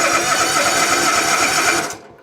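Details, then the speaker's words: Toro Titan ZX6020 zero-turn with a Kawasaki FR730V V-twin that lacks power and bogs or dies under load: it runs with an uneven, lumpy beat and then dies; one cylinder is suspected not firing. "So to a trained ear as I was bringing it in, that's the first thing I thought. One cylinder is not firing."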